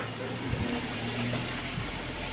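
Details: 2013 Daihatsu Xenia, engine running: thin steady high squeal with clutch pedal up, disappears when pedal is pressed, returns on release; long-standing, suspected clutch release bearing (klahar), full clutch set replacement suggested.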